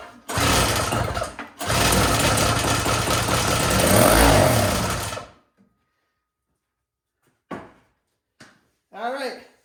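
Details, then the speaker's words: Yard Machines single-stage snowblower with a two-stroke engine (50:1 mix): after starting fluid is sprayed into the carburetor and it is pull-started, it catches and buzzes roughly for about four seconds, then dies. Piston, rings and carburetor are to be checked next. "good news it fires so that's encouraging"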